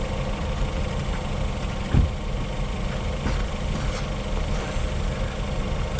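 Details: 2020 LADA Vesta SW Cross, 13,300 km, 1.8 engine, AMT gearbox, updated SAAZ front struts on broken dirt road: steady low rumble, one soft thud, no metallic knocks or rattles; suspension operating normally.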